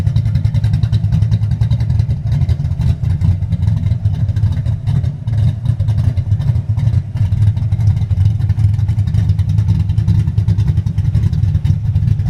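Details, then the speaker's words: High-compression big-cam V8 with manual transmission, SpinTech 9000 mufflers and Anderson N-111 cam, idling at 33–35° timing: deep, uneven loping idle with choppy exhaust rhythm, running clean and steady; healthy big-cam lope. "That's the SpinTech 9000s with Anderson N-111 and that's high timing, guys. This is 35°, 33 to 35° timing at idle."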